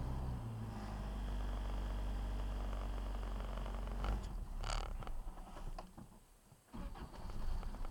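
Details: Toyota 22R with Weber 32/36 carb, rebuilt engine at 7,000 miles, cold start at 10 degrees after sitting overnight: runs rough a few seconds, then sags and stumbles near stalling as revs drop; won't hold a cold idle.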